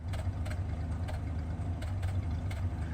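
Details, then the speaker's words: 1949 Studebaker Champion revived after storage: low lumpy idle with an odd stumble now and then as one cylinder occasionally drops out; occasional misfire at idle, left unaddressed. "Okay. It still drops out of cylinder occasionally. We're not going to worry about that at all."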